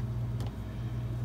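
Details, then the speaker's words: Whirlpool ED5FVGXWS05 refrigerator after replacing the cold control thermostat: a low, steady hum settles in after one brief rattle as the compressor starts on its own, with no striking needed. It runs normally. "that's the sound of a compressor turning on and if you recall before I had to I had to strike this thing in order to get that to happen last time"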